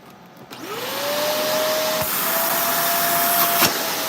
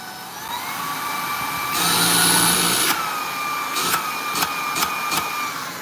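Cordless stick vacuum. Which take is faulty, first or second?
second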